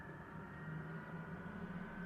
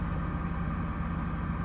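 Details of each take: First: Custom Ford F150 idling before its first drive in about six years, engine running a little rough with some chatter: the ignition-powered electric radiator fans make a steady whooshing drone with a faint tone. Fans running normally. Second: Custom Ford F150 V8, first drive in six years: low, steady idle with a faint uneven chatter underneath plus electric fan noise; running slightly rough, owner considers new spark plugs; rough idle, cause suspected, not confirmed.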